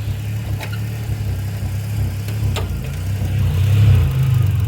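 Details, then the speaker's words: 1991 Dodge Grand Caravan SE petrol engine, warm, lumpy idle with revs wandering and surging; runs great cold but bucks and runs poorly once warmed up. Points to a failing crankshaft position sensor. "It runs great when it's cold. It gets warmed up. Runs like crap."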